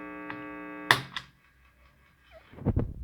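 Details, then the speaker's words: Guitar amp without earth ground (two-prong plug) giving steady buzzy background hum, also modulated by the tremolo effect, then cut off with a thunk. "Entonces ese pequeño zumbido que suena normal de todos los amplis también se ve afectado por el efecto del trémolo."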